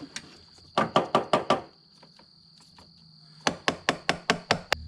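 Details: Ford Bronco II 2.9 V6 with intermittent idle hunting and stumbling: two bursts of rapid clicks about six per second with a gap, a relay chattering while testing swapped relays; suspected bad relay, not confirmed.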